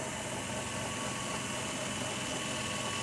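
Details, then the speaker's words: 2002 minivan idling after refrigerant oil was added with an injector tool, a light, fast, uneven rattle from the A/C compressor over the idle; owner blames lack of oil; A/C compressor rattle at idle, cause suspected, not confirmed. "Hear that rattle? Yeah. That's the lack of oil."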